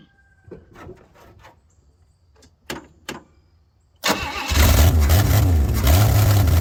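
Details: 1964 Chevy Bel Air six, long sitting, first run: a few clanks, then fires and settles into a loud, blatty idle; loud because the exhaust pipe ends short.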